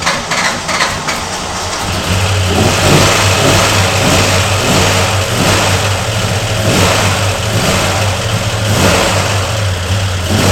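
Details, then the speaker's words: 1995 Ford SVT Cobra, bought as a non-runner, first start on a temporary wrong battery: uneven, lumpy, stumbling idle as revs rise and fall; running rough, owner suspects a valve train or timing problem and plans to advance the timing. "Now, I am fully anticipate this thing not running good because something doesn't sound happy with the valve train or the timing or something."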